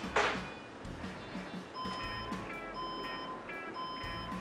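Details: Desktop PC with no display repeats long steady beeps about once a second after power is connected, a startup POST error; the machine powers on by itself when plugged in.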